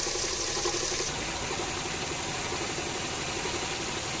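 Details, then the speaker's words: Toyota AE110 after replacing all three accessory belts (alternator, A/C, power steering); engine idles with an even hiss, no squeal or chirp; old one was noisy, A/C compressor rebuilt with new bearing and runs quietly: quiet accessory belts. "แม่เงียบแล้วนะครับของเก่านี่เสียงดังแกปรับชุดครับเป็นของเดิมนะครับ"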